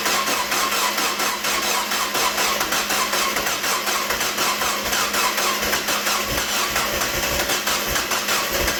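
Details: Freshly rebuilt 1.8 BP4W Mazda Miata engine on first start after sitting a decade: busy, fast, uneven lumpy idle, running rough; codes only for unseated coolant temp sensor plug and missing knock sensor, cause of roughness unknown.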